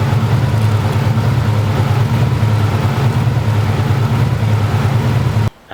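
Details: 2000 Subaru Impreza 2.5 swapped with a JDM EJ205: low idle with uneven stumbling beat about three pulses a second just after starting, does this every start; rough idle, cause not confirmed.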